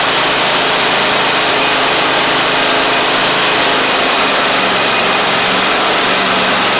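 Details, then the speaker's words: Toro Z2550 zero turn small twin needing fuel system work, started on carb spray: steady fast-idle buzzing with no knocks or missing beats, running on its own and charging the battery; a later stumble and a suspected flywheel magnet issue. "that is a success let's going to let it run for couple minutes let's see if it's charging the battery"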